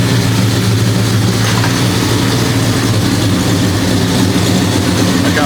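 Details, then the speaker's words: 1973 Impala 406 small-block Chevy V8 with AFR aluminum heads and FiTech EFI, after replacing a collapsed lifter and fitting 2-piece guide plates; deep steady burble at even idle, no valvetrain ticking. Normal idle. "So, but yeah, man, it feels good, man, having this thing fired up. And so far it seems like it's running smooth. I'm not hearing the lift and tap."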